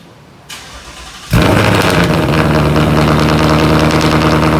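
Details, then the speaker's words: 2018 Ford Mustang GT V8, cold start with newly installed X-pipe: short crank, then catches and settles into a loud, deep, even fast idle with steady rumble; healthy cold start. "we're gonna start her up so you guys can hear how the new installed x-pipe sound cold start with the new X pipe"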